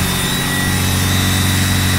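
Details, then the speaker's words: Turbo Honda D16 on dyno, IAT sensor unplugged and bypassed in tune, idling around 3,000 rpm: steady high whistle from intake manifold area. Brake cleaner on throttle body quiets it, so throttle body vacuum leak. "The motor sounds good, but there's a whistle coming from the intake manifold area."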